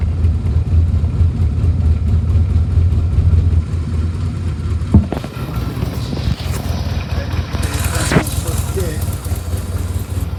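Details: Frame-off rebuilt 1971 Yamaha XS650 XS1B (rebored second over, new rings, cam chain, rebuilt carbs, new headers and mufflers; 31,000 indicated, true miles unknown), after a choke start: twin pulses over a steady low beat with no knocking or ticking; runs cleanly.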